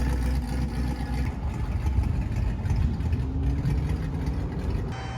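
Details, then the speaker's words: 1965 Plymouth Fury III, 318 Poly V8, exhaust in stock configuration with rubber hangers, no flex pipe; soft even rumble, no rasp, leak puffs or rattles; normal quiet exhaust. "That's perfect. It's nice and quiet."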